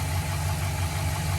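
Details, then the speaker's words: 2007-13 GM 5.3 LS V8 Sierra/Silverado with DOD/AFM, after lifter replacement and with a temporary aftermarket intake: steady low idle, slightly uneven from the intake, but no top-end tick at all; lifters quiet and healthy. "but it runs fine as you hear there's no tick at all"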